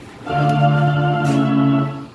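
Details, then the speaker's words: Emerald USA Pro MG-1001 guitar amplifier after repair (faulty 10 kΩ resistor replaced; volume had been very low despite strong VU meter signal): steady, full organ-like tone loud and clean, no crackle or drop; normal amplifier output. "you can hear we can see now the volume is up just in a few centimeters moving and we got loud volume perfect everything is back to normal"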